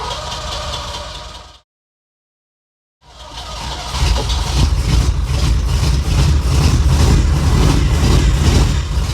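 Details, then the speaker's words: Ferrari 308 V8, cold-start no-start and cutting out at speed, with spark confirmed: after the fuel feed was loosened it catches but runs lumpy and misfiring, a stumbling beat about 158 a minute; a fuel feed line problem is suspected, not confirmed. "well obviously that's not running right but it caught which is more than it has been doing so there must have been something going on with that fuel"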